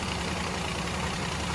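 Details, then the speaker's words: Cylinder 2 misfire at idle on a petrol car (code P0302): uneven, lumpy hum with a faint tak-tak knock, engine racing by itself; unplugging injector 1 or 3 stalls it, unplugging injector 2 changes nothing, so injector 2 is dead. "ये जो इसका इंजेक्टर है ना second number वाला, ये इंजेक्टर इसका वर्क नहीं कर रहा है सही।"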